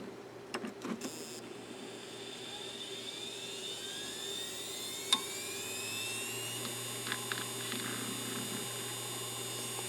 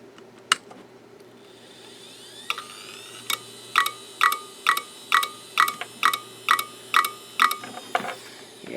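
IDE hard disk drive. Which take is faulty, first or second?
second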